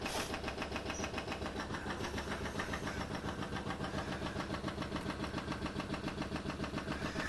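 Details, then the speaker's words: 1971 Triumph Stag Mk1 3.0 V8, a barn find sat roughly 10–20 years, on its first start attempt. The starter churns steadily at about 214 beats a minute with no firing; the engine is free and turns over but won't start, spark unchecked. "Right, Well, crank's over. Well, so by that rationale then, yes. Yes, guys, it turns over."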